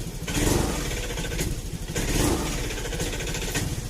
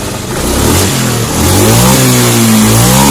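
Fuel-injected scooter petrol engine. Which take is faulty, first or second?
first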